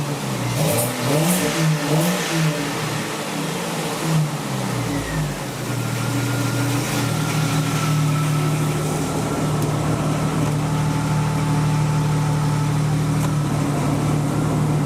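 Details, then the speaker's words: 1999 Jeep Cherokee Sport after the squeak was traced to the AC compressor (not the belt) and the compressor was soaked with PB Blaster: the engine revs and settles into a steady, even drone with no chirp or squeal. Normal running. "Heat. Heat. Sounds pretty good now."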